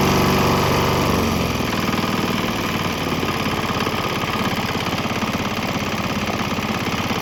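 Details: Swan X 165F Chinese single-cylinder diesel on 50-50 used motor oil and diesel: revs settle from a rush into a steady even thump about three beats a second, earlier bucking and stumbling cleared; normal running.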